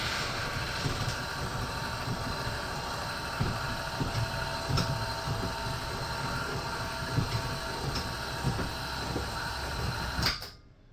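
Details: Heartland indoor jack system: loud, steady mechanical drone with scattered clicks for about ten seconds, then stops; loud noise during operation.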